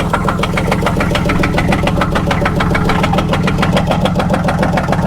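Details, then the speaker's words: 2004 Buick Park Avenue Ultra supercharged with a misfire: steady sharp knock about three and a half per second over the idle, seeming to come from the bottom end near the harmonic balancer; oil light later came on. "you have a nod you can put your hand a lot of times you can feel it this sounds like it's coming from the bottom in"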